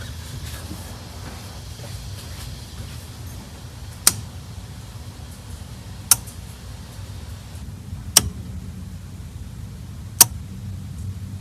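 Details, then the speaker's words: 1984 Pontiac Fiero, parked 30 years, key on after a connector was plugged back in: sharp single clicks about every two seconds over a faint low hum. Owner believes it is the fuel pump relay clicking, while the engine won't keep running. "All right, it sounds like the fuel pump relay is clicking."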